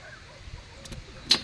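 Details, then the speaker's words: Kubota MU5502 4WD tractor with intermittent no-start; one sharp click when the key is turned, no starter spin or engine turning over. Owner suspects a loose sensor wire connector that had earlier let it start when wiggled. No crank, single click. "இப்ப ஸ்டார்ட்டம் பண்ணி பார்க்கலாம். ஒருவேளை ஆகுதா என்னன்னு ஆகல அந்த sound மட்டும் கேக்குது."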